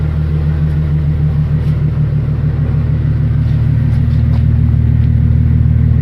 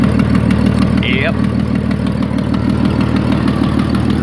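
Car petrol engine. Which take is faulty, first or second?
second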